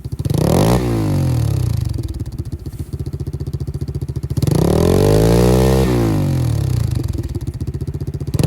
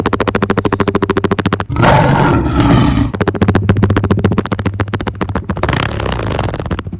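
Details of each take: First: Pit bike with its stock baffled exhaust, before the baffle is removed: three quick blips, each pitch rising and falling back to a popping idle; muffled, called a "wet fart" sound, but healthy. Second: Pit bike with the exhaust baffle pulled out and the airbox baffle also removed: loud, throaty popping exhaust with sharp revving blips, far louder and rougher than stock, like a roaring lion.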